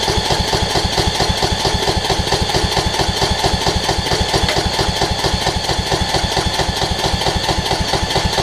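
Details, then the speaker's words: Toro Z5000 zero-turn with Kohler Courage engine: a steady cranking chug at about two strokes a second that never catches. Cranks but won't start; owner suspects water in the tank, unconfirmed. "hmm got to be water in the tank that's the only thing i can i can explain as to what it's doing"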